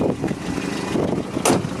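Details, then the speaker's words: 1990 Volvo 240 DL idling, with some wind noise: uneven puffing and chuffing under a steady idle from an exhaust leak that is due to be fixed. "now like I said you can hear that exhaust leak that's getting fixed probably in the next couple of days"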